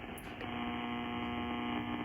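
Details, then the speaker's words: Ham radio on short indoor antenna powered by Astron RS-35M supply, swept down near 1.4–1.9 MHz: low steady buzz under the radio hiss, constant throughout; 60 Hz mains hum from the power supply, not strong enough to block an AM station. "starting to hear a little bit of kind of some his 60 HZ stuff going on here"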